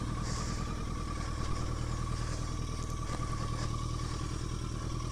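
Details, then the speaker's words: 1983 Yamaha XJ650 Turbo after reassembly and a month sitting, cold wet weather: uneven lumpy idle with loose clatter about 200 beats a minute; possibly running on three cylinders, unsure, later low power riding. "it started up really easily, but it sounds like it might be running on three cylinders. Can't really tell."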